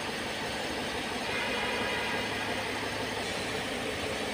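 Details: Mercedes ML 350 CDI Airmatic air suspension compressor running after its 40 A fuse was replaced: steady, fast pumping hum over a quiet diesel idle, even and unbroken, no rattle, as the car rises from four to six fingers' clearance; working properly.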